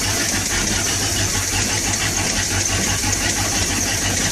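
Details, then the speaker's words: Sea Ray boat's Mercury 350 V8 with Rochester Quadrajet four-barrel, divorced choke, previously hard to start cold, primed once, first start in over two weeks: fired right up, cold engine settles into a smooth, even burble with no misfires or hunting; normal idle. "so i fired right up which is really good"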